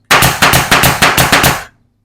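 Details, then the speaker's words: Air nailer with a quick-release chuck, nailing three pieces together; six sharp evenly spaced cracks at about four per second, then silence: normal nailer firing. "And then you just nail these three together. Just that easy. That's all you do."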